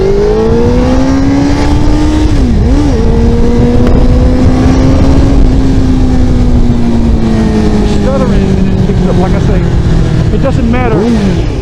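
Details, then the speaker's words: Motorcycle with rebuilt fuel pump, new fuel filter, cleaned tank and Seafoam: the engine climbs unevenly with dips and stutters on takeoff, then smooths. It also stumbled shifting into sixth on the expressway; the owner suspects fuel delivery since a fill-up three weeks ago. "the initial takeoff I'm getting the stuttering but when I was on the expressway like I say last night and I was doing about seven and I went to go into six gear it stumbled again"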